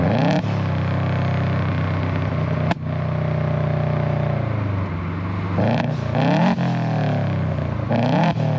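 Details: 2008 Subaru Legacy GT with Cobb downpipe and SPT catback, after fitting a GFB Respons hybrid blow-off valve: sharp loud tailpipe cracks and pops as revs fall off throttle, a few seconds apart; deceleration pops audible down the street.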